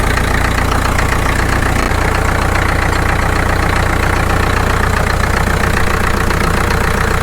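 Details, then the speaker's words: Caterpillar D2 (#5J1113) diesel at low idle on first start after full pony motor and diesel rebuilds, 30 psi oil pressure: steady even clatter about 220 beats a minute, no missed beats, firing on all four cylinders, running smoothly. "i think it's hitting on all fours it sounds pretty smooth it runs"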